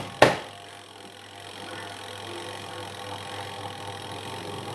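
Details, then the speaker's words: Washing machine with a weak spin motor, spin restarted: a sharp knock, then a steady low hum as the spin runs with normal vibration. "dia punya suara sudah terdengar getaran normal. Berarti dia sudah mengeringkan dengan normal, brother."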